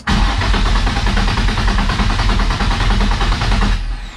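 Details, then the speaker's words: Nissan S13 with VQ35 swap, first start attempts, fuel gauge installed: starter churns nearly four seconds, engine never fires; gauge reads zero fuel pressure, possibly misconnected; crank no start, zero fuel pressure. "yep that's definitely it either i did not connect it right or we're getting zero fuel pressure"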